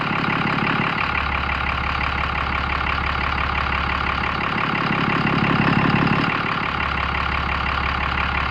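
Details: Ram 5500 diesel after major repair of its failed engine, started on a jump box with low batteries while monitoring desired versus actual fuel rail pressure: settles into a steady, even clatter at idle with no knocks or misses; healthy and smooth.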